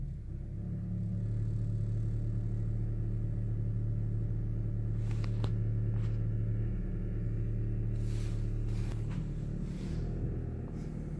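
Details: 2012 Honda Civic engine running with a steady low drone and a few light ticks on top; something sounds off, source unclear: abnormal noise.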